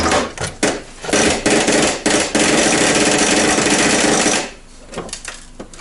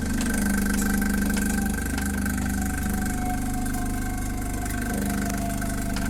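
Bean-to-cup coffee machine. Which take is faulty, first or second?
first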